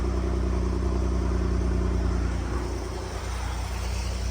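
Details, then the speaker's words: Ford at a dealer, cold start after sitting all day unmoved: steady, even low exhaust burble at cold idle, no misses, ticks, chain rattle or cam phaser noise, listened to from underneath; healthy-sounding engine. "So sounds pretty normal underneath there. The exhaust is really nothing to write home about."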